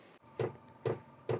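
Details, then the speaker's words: Diesel heater being refitted and restarted after months unused in a 1989 Talbot Express motorhome, cold weather, after glow plug warm-up: sharp, evenly spaced ticks about twice a second as the fuel pump runs; normal start-up. "So you can probably hear that the diesel heater has started, or the fuel pump has started ticking."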